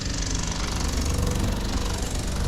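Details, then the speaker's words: Vintage Avion trailer's 12 V, 4.6 A water pump on a 5 A fuse, running with water in the tank: loud, steady rattling buzz with a gurgling edge as air moves through the lines and no water reaches the tap yet. "I feel like I should just crack one of these to let a bit of air out. Definitely no water there yet."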